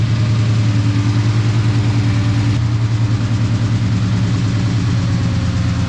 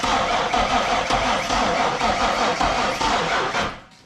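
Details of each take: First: 1998 Ford Mustang Cobra, bought with a no-spark fault, after a battery jump-start: deep, steady V8 idle with an even low burble and no misses, knocks or ticks. Engine running healthy. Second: 1998 Mustang Cobra crank no-start with one spark plug out to check spark: starter churns steadily two to three turns a second with no firing, no spark; traced to a damaged crank sensor connector.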